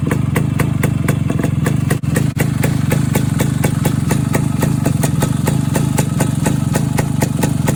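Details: Suzuki K125 Type 4 two-stroke after exhaust leak repair with right baffle burned out and new muffler joint; steady even idle, about four crisp pulses a second, no chuffing from exhaust joints: normal idle.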